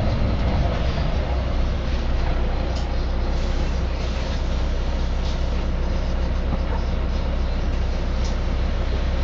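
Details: Volvo B9TL / Wright Eclipse Gemini 2 double-deck bus, First West Yorkshire 36257, filmed 2013: loud, deep, constant hum dominates over faint road and cabin noise while driving; the source of the hum is unclear.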